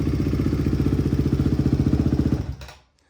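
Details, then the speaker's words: Barn-find Honda CRF single-cylinder after new chain, sprocket, OEM spark plug, rebuilt carb and adjusted valves; steady, even thumping idle, no misses, knocks or smoke, then switched off and dies cleanly; normal idle. "Let's see if she kicks over. Nice. Sounds good. No smoke. Sounds good. No smoke. Smells good."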